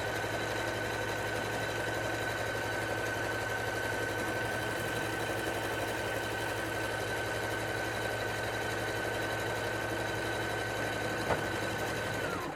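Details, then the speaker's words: Singer SE9185 sewing and embroidery machine sewing buttonhole number 2 via the Start/Stop button: an even motor hum with a steady needle rhythm and a light whine throughout, stopping cleanly before the automatic thread cut. It sews normally. "aí eu aperto o botão Start Stop e ela vai começar agora a fazer a casinha de botão."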